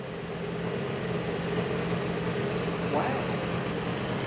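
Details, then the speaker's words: Fiat Coupe at idle after the air filter was put back on; a steady, even low rumble with no stumble. The earlier misfire has gone. "How's the air filter fixed it? Yeah, it has. It's gone off. Shit air filter,"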